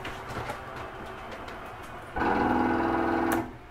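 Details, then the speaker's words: Catalina 323BHDSCK travel trailer living-room slide running out: the motor hum jumps to a loud strained buzz for about a second at end of travel, then stops; normal mechanism setting itself, nothing breaking or grinding. "that noise is okay to hear it's just the slide mechanism setting itself it's okay to hear that for a couple seconds nothing is breaking or grinding off"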